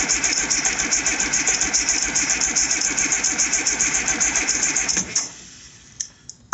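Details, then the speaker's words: IH 5288 tractor diesel, first start after work: even starter cranking about three and a half beats a second, no firing, then stops. There is no fuel at the injectors yet because air is still in the emptied fuel lines. "and there's no fuel up here yet keep in mind we had empty lines and all that Air's got to go somewhere yeah typical leaker dry cranking again"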